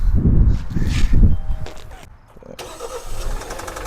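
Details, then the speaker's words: Kia petrol car bought for $800, on start-up: heavy, uneven low thumps at about four a second before settling quieter; engine knock, cause suspected, not confirmed. "Кажется, там кто-то барабанит."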